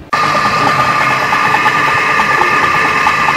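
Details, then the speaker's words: Very old donkey water pump, after thick oil was added to the crankcase: steady whirring with a light rapid clatter, much quieter than before oiling but still showing a heavily scored, worn piston. "जी दोस्तों जैसा कि आप देख सकते हैं कि हमारी इस डंकी पंप की आवाज काफी हद तक कम हो चुकी है यह बहुत पुरानी पंप है और इसका पिस्टन काफी कटा हुआ है"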